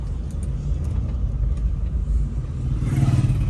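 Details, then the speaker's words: Honda City on test drive after steering rack repair for play/noise: smooth steady low road rumble, no clunks or knocks; steering now quiet and healthy. "तो दोस्तों गाड़ी में बाकी में बहुत smooth हो गई है है कि देखें है कि कोई आवाज नहीं आ रही"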